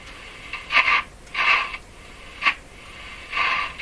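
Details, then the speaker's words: Hallicrafters S-40A shortwave receiver: irregular hissy, scratchy bursts that shift when the oscillator is retuned by a nearby hand, the same on every band. Scratchy noise; the oscillator tuning capacitor is suspected, not confirmed. "so why would retuning the oscillator move the scratchy stuff"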